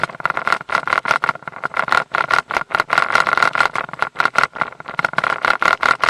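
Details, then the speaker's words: Mercury 150 HP outboard in gear: sharp rattling knocks about four a second with no steady hum underneath; propeller loose, torqued to only 40 ft-lb instead of 55, fixed by tightening to 60 ft-lb. "you know it's when the propellers loose on there and when you put it in gear it rattles and knocks"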